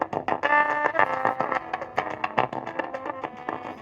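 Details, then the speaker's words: Metz tube stereo during restoration, after top-side capacitors replaced and 6BQ5/EL84 output tubes swapped temporarily: music comes through harsh, fuzzy and crackly on every note; still distorting, cause not yet found. "Oh, that's really aggravating. Back to the drawing board. Yep, sounds like crap."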